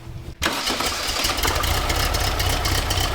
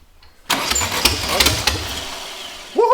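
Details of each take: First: Sand rail with a newly installed replacement engine and new exhaust with muffler: quick crank and catch, then an even, steady run with a smooth low exhaust note and no knocks or misses; healthy idle, more manageable sound. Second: Sand rail with a newly installed engine, primed with fuel: starter churns, then uneven coughing pops that never settle into a run, because two spark plug wires are on the wrong cylinders; it runs once they're corrected.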